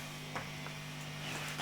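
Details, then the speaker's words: Marshall JTM45 MkII model 2245 valve amp, chassis out on the bench, intermittent popping and motorboating fault not showing: only a low steady mains hum, no throbbing, squeal, motorboating or oscillation. Normal background hum. "you can probably hear the hum and nothing of course no motor boating no oscillation nothing"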